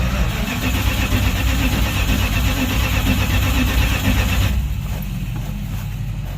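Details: V8 pickup with reassembled Holley carburetor, nylon bowl washers and fast-idle linkage spring corrected, first crank after sitting: catches, runs loud, lumpy, uneven, then drops to quieter idle; throttle cable may need adjusting, unconfirmed.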